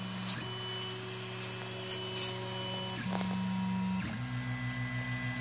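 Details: Makerfarm Prusa i3v 3D printer creaking while printing, apparently from the extruder gears and absent when moving the XYZ axes: stepper tones jump pitch between moves with a faint creak underneath.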